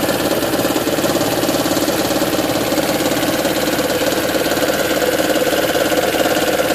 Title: 2010 Prius - Engine Knocking (Raptor Sound)